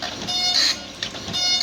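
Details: Epson PLQ-20 passbook printer printing an SBI passbook demo, unit with offline beeping and paper pickup issue; short bursts of high-pitched buzzing as print head sweeps, brief pauses between passes; normal printing.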